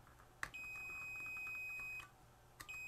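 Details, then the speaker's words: Vintage 1979 Snap-on MT241A timing advance light with intermittent power switch, ohmmeter continuity test on the switch: two clean steady high beeps, the first about 1.5 seconds; solid continuity, switch tests good. "oh while the switch tests absolutely perfect"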